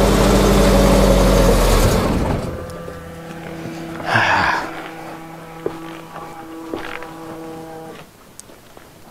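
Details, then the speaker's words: 1989 Winnebago LeSharo RV, abandoned, little fuel added, fuel pump left on: engine catches, runs rough a couple of seconds then sags and dies; owner suspected MAP or speed sensor or low fuel. "okay it runs for a little bit then dies so we might actually have a problem map sensor or speed sensor"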